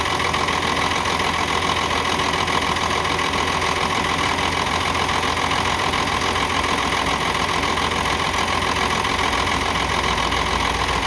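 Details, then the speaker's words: UD truck Nissan PF6 six-cylinder diesel at idle; number 5 injection pump plunger delivers no diesel, so one cylinder dead; uneven loping beat, misfire that also caused power loss and stalling. "तो जब 5 number plunger की तरफ से डीज़ल नहीं आएगा तो आप समझ जाएं जो ये 6 सिलेंडर इंजन है, 6 सिलेंडर में से एक सिलेंडर काम नहीं कर रहा, 5 सिलेंडर काम कर रहे हैं।"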